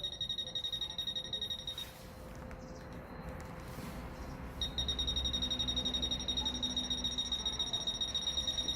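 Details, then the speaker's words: Fisher F-Pulse pinpointer air test: shrill beep pulsing fast and even, about four a second, speeding up as the target gets closer; normal response to a strong close target. "Vous entendez, les bips deviennent de plus en plus rapidement."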